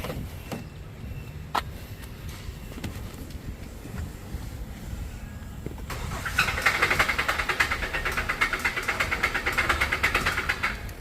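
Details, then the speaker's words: 2016 Kia Optima idling: quiet at first, then a sharp metallic knock about three times a second; rod knock, engine done. "Yeah, that engine is done. It's toast."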